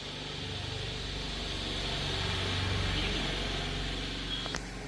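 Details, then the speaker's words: Motorcycle cold-started after six months unused, fuel still in tank, battery likely drained: starter churns the engine about four times a second but it never catches; fuel enters the bore but doesn't ignite, battery recharge next. "ഇതിനകത്ത് ബോറിനകത്ത് ഇത് കയറുന്നു, പക്ഷേ ഇതിനകത്ത് കത്തുന്നില്ല."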